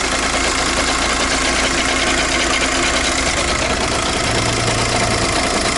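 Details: Engine idling steadily with an uneven ticking and rattle over it. The check engine light is on and a scan shows an ECU communication loss. The boss suggests the clutch adjusting causes the noise; the source is unconfirmed.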